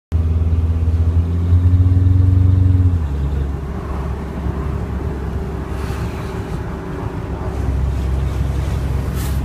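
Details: Late 2004 Cummins 600 diesel idling: rough uneven puffing chuff from an exhaust leak at the turbo downpipe, caused by an improperly aligned V-band flange.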